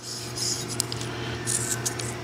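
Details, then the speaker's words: 2006 Toyota 4Runner 4.0, idler pulley removed during the alternator replacement and spun by hand: dry, scratchy rasp in uneven bursts; rust build-up on the pulley and washer from sitting makes them rub, with no noise when held apart. "Here, from the car sitting, rust build up on the pulley and build up on the washer, causing the two to mate and make noise."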